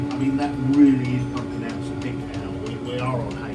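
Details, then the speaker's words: VW T25 Westfalia with a newly installed diesel heater replacing the old petrol heater, exhaust not yet fitted: steady mid-pitched blower hum with soft regular pump ticking, warming up and revs coming down; normal running. "As you can hear the reds coming down now. So that sounds correct to me."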